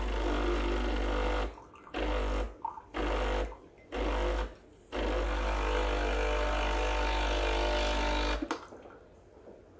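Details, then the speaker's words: Breville Barista Express BES860 running a blank shot of hot water with empty handle to warm up: steady low pump drone with gurgling, several short pauses, clean cutoff; normal espresso pump running. "i just do a blank shot so that's a coffee shop sorry that's a shot of just hot water without any coffee in the handle so that will warm up the machine"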